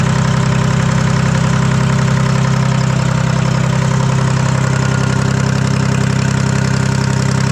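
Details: Detroit 3-53 two-stroke diesel first start after 25 years, camshaft reversed after a backwards install in its 2000 rebuild: steady, even idle, quick regular beat around 220 a minute with strong low rumble, no exhaust fitted, no knocks or misses. Normal idle.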